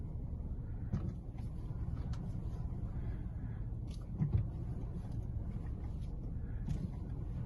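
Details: VW Jetta 2007/08 with air suspension, steering test after fitting Fox strut bearings: low engine rumble while the wheel is turned, only a few soft bumps, no creak from strut mount or bearing.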